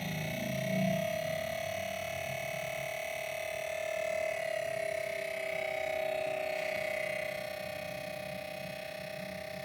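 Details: New Wanbo T2 Max projector: a steady, piercing whine with a fainter high hiss runs unchanged throughout, unbearably and abnormally loud; cause not pinned down.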